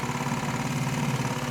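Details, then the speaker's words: 1951 MG TD restarted hot, with water just above 90, after a four-to-five-mile drive, the condition in which it always had trouble starting; with the new heat shield the fuel pump builds pressure, then it catches and settles into a steady, even low idle in neutral. Hot-start vapor lock is cured. "so you can tell the pumps going and then it stopped to build pressure and now it's done and here we go it's in neutral it worked heat shield work"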